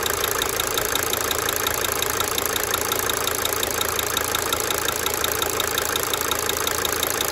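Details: 1992 Mercedes-Benz 300D 2.5 Turbo diesel at idle: sharp, even injector tick about three times a second, swelling and fading cyclically over steady clatter.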